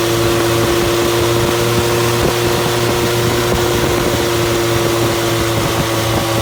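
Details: Fully rebuilt Triumph Spitfire 1500 engine on run test, electric fuel pump, about 1000 rpm idle, oil pressure 75-80 psi, not yet fully hot; loud open-exhaust drone at even pitch, no misses or clatter; normal healthy idle.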